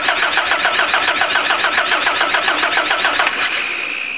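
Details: Van that stalled and wouldn't start, fuel smelling like ethanol and petrol in the oil; fast even cranking that never catches, flooded engine; fuel filter missing.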